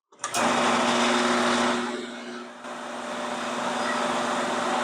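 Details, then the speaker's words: 1985 18-inch bandsaw with its two belts removed from the motor: unloaded motor hums steadily with an even whirr, no knocking or wobble. Run-out is essentially zero, so the motor is not the cause; vibration traced to the belts. "well seeing as we've gone to essentially zero run out I would say the motor is not the problem and it is something to do with the belts"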